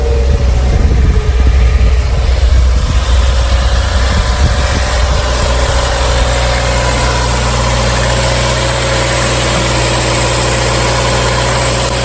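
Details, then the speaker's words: Front-end-damaged 2016 Subaru WRX, started after the fuel pump began running: a brief rough catch, then a smooth, even, low idle with no knocks or misses. It runs pretty well. "your own runs actually pretty good that's always a great sign guys"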